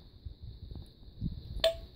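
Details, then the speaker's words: Smoke detector, plugged in for power-up, gives a thin high-pitched horn tone that holds for a longer blast, with a sharp chirp near the end; normal power-up horn sound. "as you can hear here that one's a lot higher pitched and also when you power this one up the horn stays on the horn blasts a longer blast than this one does"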